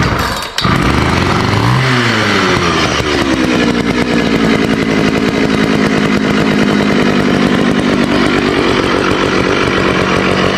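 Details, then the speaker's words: Early-1980s Poulan 3700 chainsaw, rebuilt after years not running, run with chain on and oiler working: pulls and starts, blips, then settles into a steady even two-stroke buzz with no misses; runs healthy. "I ran it with the chain on. The oiler's working good. Thing sounds good."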